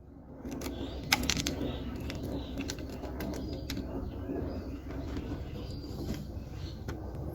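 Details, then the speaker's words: Yamaha RX 115 two-stroke motorcycle before repair, non-original carburetor with idle set high: fast, busy idle with sharp puffs and ticks over the rumble; exhaust leaking at the cylinder-to-header pipe joint. "তো এটার যে sound শুনলেন সাউন্ডটা সম্পর্কে একটু বলে রাখি সেটা হচ্ছে যে কার্বোরেটরটা অরিজিনাল না প্রথমত"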